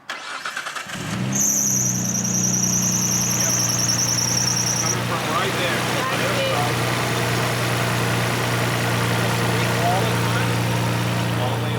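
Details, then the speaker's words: 2004 Infiniti G35 coupe: engine cranks and catches, then thin steady high squeal over idle for a few seconds before fading; alternator belt slipping, shiny alternator pulley, belt possibly not tight enough. "is that from the uh alternator belt squeaking they got the alternator pulley you can see it's a little shiny that's definitely from the squeaking"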